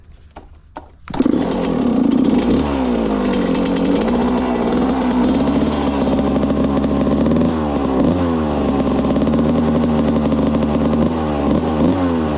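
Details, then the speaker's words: 1995 Suzuki RM125 two-stroke, rebuilt engine and carb, rejetted, fresh plug, warmed up: revs hard then bogs and briefly cuts out at full throttle like hitting a limiter; cause unknown, floods itself, carb seal suspected. "Take it a little lower RPMs again, make sure it's nice and warmed up. Then I can full throttle it. See, there's that bog."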